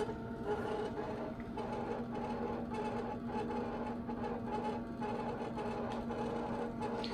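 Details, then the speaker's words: 1984 Kaypro 4 portable computer, unused for nearly 30 years, floppy drive reading a disk; steady motor hum with uneven scraping and chattering bursts as the drive grinds; owner suspects the drives need taking apart and lubricating. "Well, I'm going to let it just grind away for a bit, but I'm thinking this isn't going to work too well until I get the drives apart and lubricate them."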